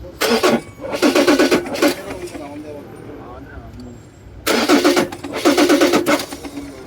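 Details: Ford Ranger 3.2 that would not start: two rounds of cranking, starter spinning strongly but the engine never catches; crank no-start from faulty injectors, fixed by buying two injectors.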